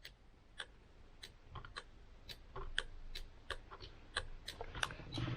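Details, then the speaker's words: Mitsubishi Evo with LED indicator bulbs, new adjustable LED flasher relay turned fully clockwise; crisp steady relay ticking about three clicks a second; indicator flash rate now correct. "so that is fully wound up now fully clockwise and that is now our speed so i think that is perfect"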